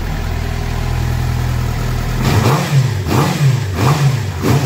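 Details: Suzuki GSX-R750 motorcycle at 2,069 km, misfiring, after replacing original spark plugs with new iridium plugs: even idle hum, then four crisp throttle blips rising and falling cleanly, no stutter or popping; revs normally, fault resolved.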